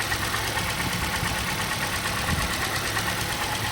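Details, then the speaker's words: Auction vehicle with 172,000 miles at cold idle, still warming up after a cold night: a light, busy ticking over a steady hum with no heavy knock. This is judged normal valvetrain clatter for the mileage. "Yeah, she sounds all right. A little clattery, but it kind of sounds normal to me with 172,000 miles. You know, they start making a little bit of noise."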